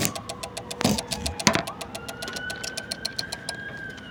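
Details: Car fuse box with ignition off: regular fast clicking with a faint buzz, a relay chattering; owner suspects it is draining the battery, cause unknown.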